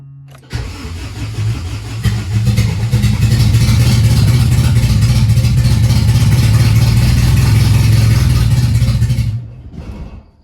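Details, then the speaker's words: AWD B-series Honda hatch on OEM ECU with coil packs, no distributor, freshly installed engine: catches after short crank, runs rough and uneven for seconds, then stalls; very low fuel and pump heard struggling as if air in it, owner suspects fuel starvation. "yeah I don't know if it has enough feel or not but hey started I wanted to stay on though"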